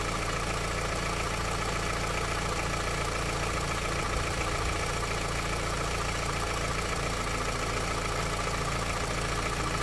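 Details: Honda CR-V, 200,000 km, cold engine on 5W-30 Mobil oil with 5,000 km on it, idling in neutral and Drive: steady, fairly even tapping about 3-4 per second over the engine hum; engine knock of unknown origin.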